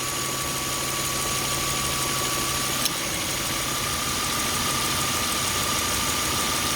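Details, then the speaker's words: 2003 Toyota Camry V6 at idle after new alternator belt: faint belt-driven hum cuts out as AC compressor cycles off, and engine settles slightly lower since idle-up circuit raises rpm only while compressor engages; normal. "when it shuts it, you'll hear the engine slow down. See? I like it cycling myself, but hey, it is what it is."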